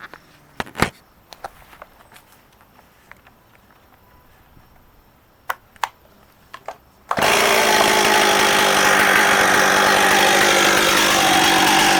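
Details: Stihl MS260 chainsaw with 18-inch bar and brand-new chain, ex-fire department, in good shape: after some handling clicks it fires and holds a steady, even high-pitched drone with no stumbling, running healthy.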